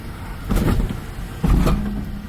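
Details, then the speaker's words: 2000 Toyota Sienna van, high mileage, rear apparently empty: two short bursts of loud clunking, knocking and metallic rattling from the rear while rolling over alley speed bumps, a rear rattle or bang the owners reported. "oh yeah did you hear that oh that's noisy listen to it there oh yeah it's like stealing steel wow well everybody can hear that"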